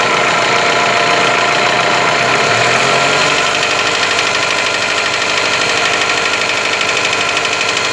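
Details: Toyota 4S-FE engine: revs rise from idle, then a steady tapping knock of about three per second appears above 1500 rpm and keeps time with engine speed.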